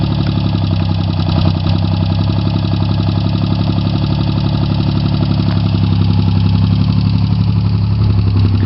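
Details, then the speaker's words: Chevy Sprint turbo 1.0 L three-cylinder (Suzuki Forsa), fresh top-end rebuild, Saab 9-3 KKK turbo, straight pipe with two cherry bombs, cold start, low on fuel: fires instantly, steady even burble, no knocking or misses; normal idle. "it's a total cold start up I'm kind of low on gas but it's really fire up instantly no major problems"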